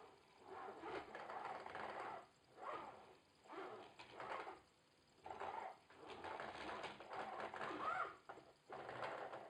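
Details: Logitech Driving Force GT wheel, second unit (first returned for the same noise), game sound off, at maximum force feedback strength: repeating buzzy rattle bursts about every second with quiet gaps; loose parts seem to flutter inside, unconfirmed.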